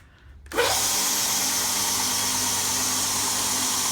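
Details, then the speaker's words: Homebuilt multi-speed, single-phase 72x2 belt grinder switched on, then a steady, even hiss and hum with no knocks or rubbing. It runs smoothly and quietly. "really quite quiet. To run."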